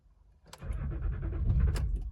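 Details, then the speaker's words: Cheap Range Rover Sport showing a transmission/terrain fault, battery freshly charged: a short burst of fairly quick cranking with a brief rise as if catching, then it dies away. Cranks but will not start, cause not determined. "It's turning over quite quick, isn't it?"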